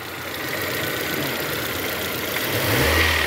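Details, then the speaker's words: 2001 VW Gol G3 1.0 16-valve, 176,000 km, after new plug leads, cap gasket, rotor and cap (oil had reached the plugs): smooth revving without stumbles or popping; the previous misfire is cured; normal revving. "Estamos testando ele Ó 176.000 você agora não é um barulho mais não hein tava engasgando para caramba esse carro aqui ficou 100%."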